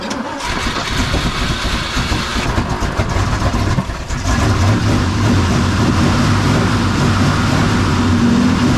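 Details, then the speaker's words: Ford FE 390 big-block V8, sat over two months, dead battery, jump-started on a very cold day: cranking catches after about four seconds, then loud, slightly uneven high idle; cold engine runs rough, owner says it needs choke adjustment. "need some choke adjustment but you see exactly what that did right"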